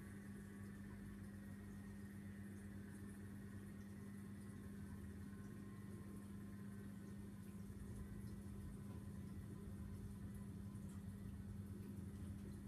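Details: Vortech MP10 quiet drive pump motor after a month of use: a constant low hum at one pitch with a faint buzz, sounding like a new diesel engine; far too noisy for a supposedly quiet drive motor.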